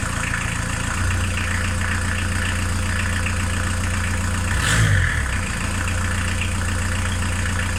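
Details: VW T3 Vanagon 1.9 diesel fitted with a 1.6 injector pump, warm after a drive: even low idle clatter with one brief throttle blip, no misses or knocks. Normal diesel idle.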